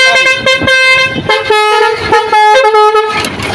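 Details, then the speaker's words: Truck's multi-tone basuri air horn sounded: loud blasts step unevenly through pitches with some notes weak or missing; one valve switch is burnt out, spoiling the tune. "Sekarang saya mau bunyikan cuman ini agak kencang ya karena suitnya gogong satu atau terbakar satu"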